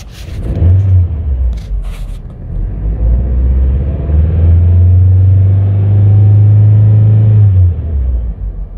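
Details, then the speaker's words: Audi A1 salvage car with an MOT emissions fault and a replaced O2 sensor, revved after clearing codes: smooth, even rev rising and settling with no stumble or lumpiness; owner suspects the new spark plugs caused the earlier lumpiness; normal revving. "well that definitely sounds better it's not lumpy at all so i think it was the spark plugs guys and they were brand new"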